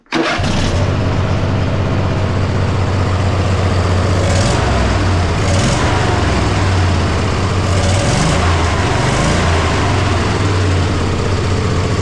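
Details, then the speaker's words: Poulan mud mower V-twin after the fix: a slipping torque bit had left something untightened, now properly tightened. Strong, steady run with quick throttle blips rising and falling cleanly, no misses or popping; better throttle response and it starts easily. "So, now that I got that settled away, uh this thing sounds like better than when I first got this mower. Like this is this is awesome."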